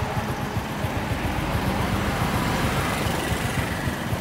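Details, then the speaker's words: 2006 Honda Wave "Xương Cá" ("206 sườn xám") motorbike with its original engine: the small single-cylinder idles with an even thump of about four beats a second, with no ticks or knocks. The seller says it runs extremely smooth. "Con này là 206 sườn xám, máy cực kỳ êm."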